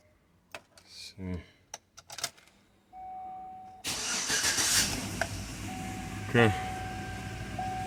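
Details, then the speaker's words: 2007 Chevy Tahoe after repairing a loose engine-block ground wire behind the cam sensor connector (cause of crank-no-start, shaking and P0300 random misfire): brief crank, starts at once, steady even idle; problem fixed. "start it right up. That's it. I'm gonna have to just remove the check engine light, and that's it. Problem is fixed."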